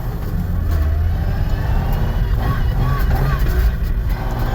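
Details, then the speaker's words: Car with CD009 transmission on slow parking-lot lap after repair; earlier clickety-clackety banging noise (suspected clutch, flywheel or trans) is gone, only normal CD009 noises remain; even low engine drone, no knocking or rattling. "No more clickety clackety, bang bang, whatever it is. It still makes CD09 noises, but whatever that other noise was a lot worse than the CD09 noise."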